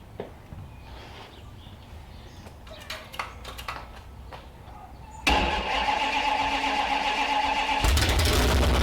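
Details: Freshly built Mopar 360 from a 1974 Plymouth Duster with a hydraulic flat tappet cam, at first fire-up and timing not yet set: cranks, then a loud, uneven, stumbling idle. Misfire from two swapped plug wires.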